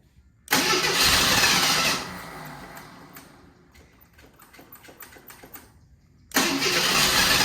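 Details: AMC Eagle after carburetor idle adjustments: loud churning cranking bursts fading into ragged puffs, then cranking resumes, won't catch; extended cranking no start, possibly adjusted too much or out of gas, bad radiator also suspected.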